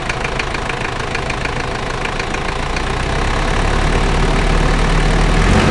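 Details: Toyota 1KZ-T engine, described as a new motor, with a steady idle carrying a regular knock of about four per second that persists as the note firms slightly; knocking at idle, cause unknown.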